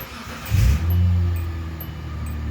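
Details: Hyundai Santa Fe after fuel pump and leaking fuel tank replacement, with 5 gallons added: engine catches quickly with a brief rev, then settles into a steady, even low hum with no misses or knocks; healthy start.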